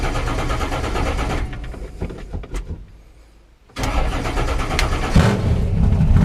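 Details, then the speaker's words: Newly installed 481 big-block in a truck, idling cold on a cool day during a test run: deep, steady rumble with an even beat and a brief dip, then a smooth cold idle; soon after it seemed starved of fuel, with low fuel pressure and flooding. "oh yeah it's idling pretty good considering it's cold it actually is kind of cool out today"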